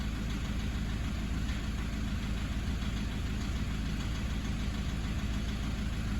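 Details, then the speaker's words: 2009 Toyota Hilux 1KD-FTV D4D diesel, injectors replaced at 180,000 km about five years ago, low mileage since: steady idle with faint tapping; abnormal, possibly bad injectors or contaminated fuel, suspected, not confirmed. "hear that background tapping at idle tap tap tap tap tap in the"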